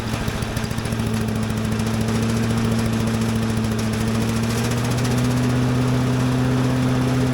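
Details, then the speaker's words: Little Wonder blower with Briggs & Stratton engine, started on choke with a little throttle: even single-cylinder thump about three beats a second, speed rising smoothly, slight shaking but not bad; running normally. "Little shaking, but not that bad."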